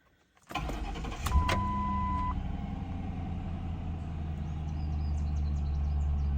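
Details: Showroom-condition 2007 Mercury Grand Marquis with 16,628 miles and about 1.5-year-old gas: a short crank catches quickly and settles into a smooth, even low idle with no misses or knocks; a healthy start.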